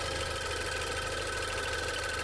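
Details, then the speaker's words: 2016 Range Rover Evoque at pre-purchase inspection: even idle with light, fast ticking over a steady hum and faint high tone; tick of unclear origin, possibly normal, no leaks or smoke seen. "okay i can hear something clicking it doesn't sound scary but i can't say for sure that that it's normal"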